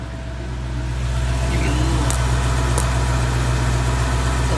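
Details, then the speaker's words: Bone-stock 2014 Ford Coyote V8 at 29,000 miles, idle checking for tick or piston slap; steady, even deep rumble, single click is AC clutch engaging, no ticking or knocking, normal idle. "AC was on at the end there. I kicked it on. You can hear it click on. Sounds healthy to me."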